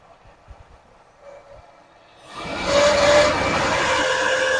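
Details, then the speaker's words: 1979 Lincoln Continental, first run after 32 years stored: engine catches and roars up, then a thin steady squeal rides over it; suspected smog pump, later confirmed by screwdriver stethoscope. Squeal at running engine. "That sounds horrible, don't it? Not sure, but it could be that smog pump too."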